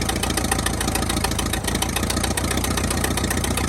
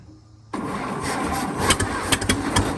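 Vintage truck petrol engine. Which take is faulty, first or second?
second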